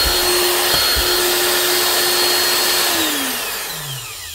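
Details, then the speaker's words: Very old Hitachi quarter-inch router TR8 after new plug, brushes and bearings: smooth, high, steady whine holding pitch, then even wind-down after switch-off; motor and bearings sound healthy, running strong. "nice one one very old Hitachi quarter in router tr8 with a new plug brushes and bearings and she's still running strong"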